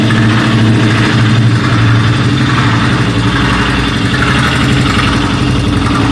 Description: スズキ ジェベル200のエンジンから異音が発生。